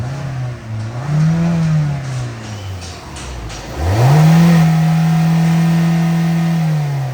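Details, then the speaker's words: 2016 Hyundai Elantra 1.8 automatic, odometer about 406,874 miles (also stated as 46,874), unknown whether engine was replaced, transmission bad: two clean revs with pitch rising and falling smoothly, no knock or rattle; motor runs good. "Motor runs good."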